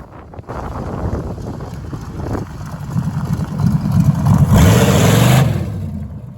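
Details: 1973 Plymouth Barracuda, hopped-up 360 V8, after swapping old Holley for a near-new Edelbrock carburetor: idles and revs cleanly with steady lope, no stumble; throttle response improved, runs better than before.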